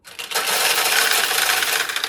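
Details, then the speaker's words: Restored 1960s Nishijin Model A vintage pachinko machine: a couple of seconds of bright metallic rattling as steel balls drop from the hopper via the turnaround to refill the replenishing tray; normal automatic refill governed by tray level. "And what that is the balls going from here to refill the replenishing tray. That's all automatic, and it's dictated by how many balls are in this tray."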